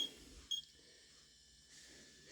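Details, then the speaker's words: 2006 Whirlpool side-by-side refrigerator, warm and noisy: irregular high electronic chirps over faint hum from a bad main control board; damper powered, fans show voltage drop; needed new main PCB and water inlet valve. "the damper is getting power and then the control board's beeping like a weirdo"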